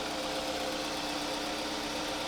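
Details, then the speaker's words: 2007 Scion tC towed in with a no-crank complaint and a dead battery; after a good ignition switch was confirmed, the engine starts and settles into a smooth, even idle with a steady hum, no knocks or misses: normal idle. "hey it's like magic it's like magic she starts and"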